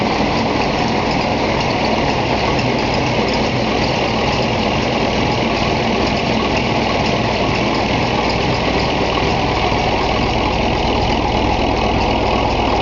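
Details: Gardner 5LW diesel in Bagnall locomotive 3207 Leys at Foxfield, second start-up after engine overhaul: steady even idle with low regular beat, no knocks or misses; normal idle.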